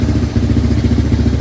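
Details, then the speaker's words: 1987 Yamaha Moto 4 200 ATV after carburetor cleaning and jet/needle repair: single-cylinder chug at fast, uneven pulsing idle, runs only on full choke; owner suspects air screw too lean, at two and a half turns. "I think this needs to be adjusted a bit more but just got to figure out why it only runs on full choke."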